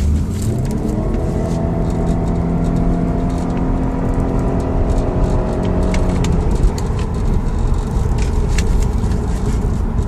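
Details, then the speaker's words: 2008 Audi A6 road test after repair of cylinder 3 misfire (ignition coil checked) and vibration at 100 km/h, faults erased: smooth engine drone rising and easing through a clean shift, no stumble or shake; runs normally. "No problem at all. Car nice working and nice driving. Nice shifting, no any problem."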